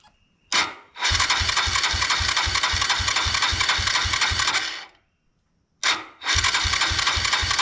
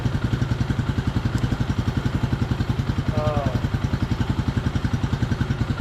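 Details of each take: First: 1999 Suzuki DR200 left sitting for nearly a decade, cranked on the starter without throttle on fuel reserve with fuel flowing. The starter whirs with even compression pulses, stops, then cranks again but the engine never catches: cranks but won't start. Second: 1998/1999 Suzuki DR200 single, about 796 miles, revived after nearly a decade sitting, carb not yet serviced: steady thump at about three and a half beats a second, even and unbroken; healthy idle.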